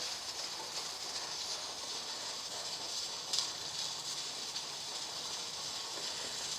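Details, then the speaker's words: Presto 23-quart pressure canner with 15 lb weighted regulator, dial reading about 14: steady steam hiss, weight rocking at an even pace, a perfect jiggle for keeping it at 15 psi or under; normal. "So if it held jiggling about like this, perfect jiggle right now, then I would feel just fine that I was keeping it at 15 or under."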